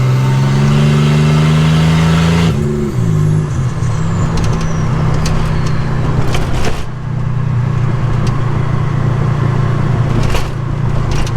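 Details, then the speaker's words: 1985 Nissan 300ZX Turbo (Z31) driving after misfiring under boost, new spark plugs and wires and a fixed boost leak: deep, very loud exhaust drone climbing with revs, dropping on the shift; engine pulls cleanly under boost, exhaust too loud to talk over. "right now i can't even talk while i'm driving it's too damn loud i'm so fired up it's running good"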